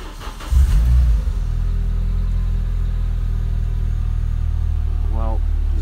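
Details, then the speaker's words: Renault Clio 182 RS after replacing all four faulty fuel injectors for flashing engine light and misfire; cold start cranks briefly then settles into smooth, steady idle, no lumpy idle, misfire or engine light, fixed. "engine light there at the moment which is good and it sounds already that cold it sounds good so hopefully that's it fixed"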